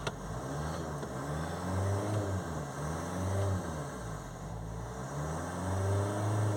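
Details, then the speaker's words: Nissan Qashqai diesel, previously not starting due to blocked DPF, after off-car DPF cleaning and refit: picks up cleanly and settles several times, smooth even firing, no misfire or knock. Normal revving. "I'll put it on and see if it works that's it running see it revs up"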